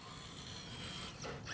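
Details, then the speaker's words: Rock-crawler RC build reversing on a steep line: short burst of fast ratchety clicks from the drivetrain; owner suspects wrong end points on the dig servo or a flexing servo horn, unconfirmed. "Clicking in reverse is interesting. Uh, best case scenario, end points on that dig servo are just wrong. Could be flexing the horn."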